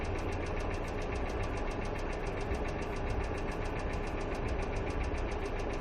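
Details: Hyundai Accent II at steady idle with fast, even ticking in time with the engine, caused by noisy hydraulic lifters.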